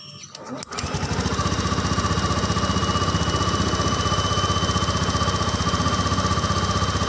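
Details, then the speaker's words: Honda Beat scooter cold start: idle air control valve supplies air at first start and cold temperature, so rpm rises then drops; catches after brief crank, settles into even steady single-cylinder patter without knocks, normal cold fast idle. "jadi ketika mesin disetor pertama maka RPM akan naik Kemudian beberapa saat dia akan turun ya seperti ini temen-temen Oh ya rpm nya naik kemudian dia turun"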